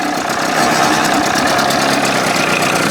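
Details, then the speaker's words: 1981 Evinrude 20 hp two-stroke outboard after flush and new thermostat, warming up unchoked: rough uneven running with fast light typewriter-like clatter at idle, idle creeping up; still not right, cause not yet found. "doing that typewriter thing, though. I thought I had all that done."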